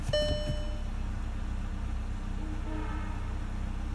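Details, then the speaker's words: Volkswagen Jetta after replacing an ignition coil (codes P0300–P0304, P0351) and erasing codes: short start-up, then a low, even idle with no stumbles or skips; smooth running. "and now we start it up again ah smooth running there you go that was a quick fix 10-15 minutes all done"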